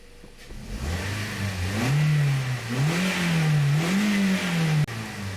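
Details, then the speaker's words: 2009 Toyota Corolla 1.8L revved after replacing the cylinder 2 ignition coil for code P0302. Smooth, even revs rising and falling cleanly with no stumble. Misfire counts are at zero. Normal revving, fixed. "so this engine sounds really good it runs good so this is fixed"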